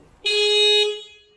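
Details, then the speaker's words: Newly fitted eBay aftermarket horn on a Mercedes Sprinter van: a single short, thin, high-pitched toot lasting about half a second; weak and unacceptable for the van. "now that is not an acceptable horn for the look of this van what is that being an ebay purchase i knew it was going to be [ __ ]"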